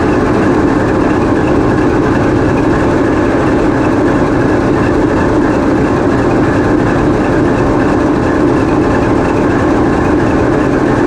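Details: TEP70 0237 passenger diesel locomotive on run-in trials after repair, GoPro in the diesel engine room: steady heavy roar at constant speed, even and smooth with no knocks or rattles; running healthy.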